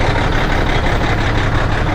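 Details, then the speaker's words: Old Peterbilt truck diesel just started cold after replacing the leveling valve: loud, steady low clatter at an even idle with no misses or knocks, warming up; smokes a little when cold, a leaky injector suspected but unconfirmed. "There it goes. Warming up. Smokes a little bit when it's cold."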